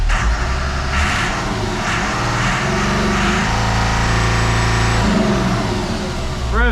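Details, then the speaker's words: Perkins T6.354 marine diesel after CAV injection pump reseal, throttle hose obstruction cleared: climbs smoothly to a steady 3400 rpm, matching the other engine, no misses or knocks; normal full-throttle rev. "to 3400 exactly what the other engine does. So, I think she's good."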